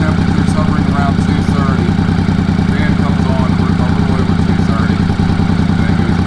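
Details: 1983 Honda Shadow VT500C, warm, engine temperature near center, just after replacing a bent radiator cap over coolant blowing from the overflow (head gasket first suspected): steady, loping twin idle firing evenly, no misses, stumbles or odd noises, healthy.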